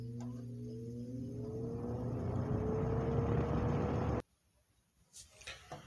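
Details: 1970s Lakewood 20-inch box fan, service and oiling history unknown, started on low speed: a smooth hum climbs steadily in pitch as the blades spin up, no rubbing or rattle, then it is switched off; normal low-speed running.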